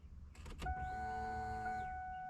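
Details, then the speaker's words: 1999 Ford Mustang convertible 3.8 V6 that starts only sometimes: the fuel pump primes with a faint, steady whine that grows louder. The pump is suspected of losing prime or fuel pressure. "the customer says that you know they think maybe the fuel pump doesn't always come on I can hear it it's just not very loud"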